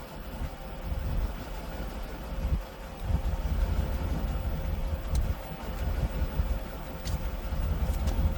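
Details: 1988 Mercury Cougar Foxbody V8, after earlier ignition repair and gas tank cleaning, now starting and idling on its own fuel system: a deep, low rumble that swells and eases a little but keeps running on its own.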